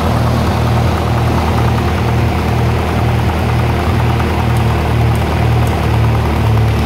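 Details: 1948 Lincoln SA-200 welder engine, long unused, revived with little work, with a short stack with resonator: a steady, even low idle with a smooth beat about twice a second and no knocks or misses. Normal, quiet idle.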